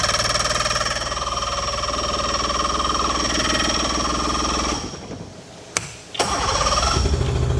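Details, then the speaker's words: Swapped outboard on a small aluminium boat, first start after installation on the water supply, fuel still being primed up. Two-stroke buzz runs about five seconds, sags and dies, then catches again after a pause: rough running and stalling, doesn't sound right. "Okay. Got fuel all the way up. Doesn't sound right."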